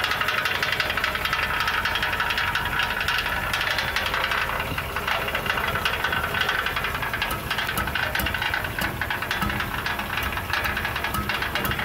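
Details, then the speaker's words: 2006 Ford E350 recorded underneath at idle: irregular metallic knocks and rattles come and go, at times like rod knock. Traced to the right-hand catalytic converter, upper or lower section. "It sounded like the right-hand catalytic converter. I don't know if it was the upper one or the lower section of that."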